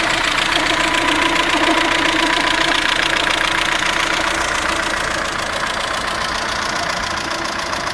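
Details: Vectra 2.0 16v: steady light top-end ticking about three and a half per second over a smooth idle; owner asks whether hydraulic lifters or a stud is the cause.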